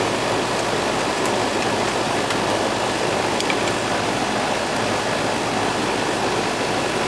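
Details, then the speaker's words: Old Goodman AC condenser after replacing a weak capacitor; the compressor had not been running before. Steady rush of fan air with the compressor humming underneath, warm air out the top, no knocks; now running normally. "russell's running now i could hear it and the warm air is coming out capacitor was weak"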